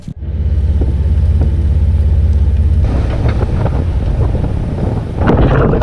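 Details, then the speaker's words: Jeep Wrangler driven over speed bumps, GoPro audio: steady drivetrain drone, then dull knocks and rattles, a front clunk; owner suspects worn front bushings on the Rough Country shocks or the heavy front bumper U-clips, not confirmed. "Let me give you guys an example of what it sounds like when I go over a handful of speed bumps."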